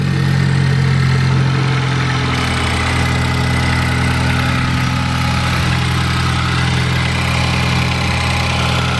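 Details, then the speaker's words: Ford Focus ST with newly built engine (pop-n-drop kit, after stock motor failed at 450whp), catless downpipe with resonator, first start, really cold; steady even idle with raised cold-start hum easing as it warms, no knocks or ticks. "so right now letting it warm up so it's really cold cold start"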